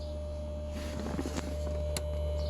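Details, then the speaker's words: Petrol car fuel pump powered directly from a booster pack to drain fuel: steady low hum with a constant whine, pump running normally. "you can hear the pump is going"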